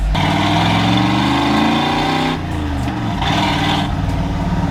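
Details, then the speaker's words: 1986 Ford F250 V8 just after a ZF5 manual transmission swap, running quietly with soft exhaust burbles and no whine or grinding; map and TPS behaving oddly; normal running. "Dude, it's so much better now. It's like it's quiet. Very quiet. Ooh, we got some burbles, baby. Ah, she's spicy, man."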